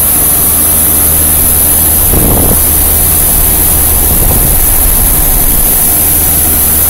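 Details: Dying 1990 2.5-ton Tempstar heat pump outdoor unit running in cool mode, filmed in 2014: loud, rough, steady low drone, sounding strained and on death's door; cause not confirmed.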